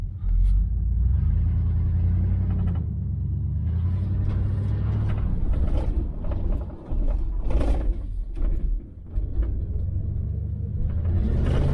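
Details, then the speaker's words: Neglected 1977 Chevy Malibu Classic V8, 72,702 miles, last oil change in 2005, while driving: deep, even rumble swelling smoothly with the throttle, no knocks or misses; idle thought a hair low; runs well. "She runs damn good. I think the idle's just a hair low"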